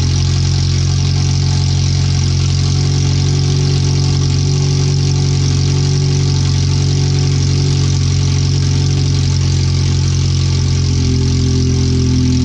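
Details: Idling on open header only after header replacement, relocated O2 sensors, rerouted wiring and new fuel filter, first run into closed loop before the rest of the exhaust goes on: loud, deep, blatty, uneven unmuffled idle, way too loud; ECU read 5–7% rich.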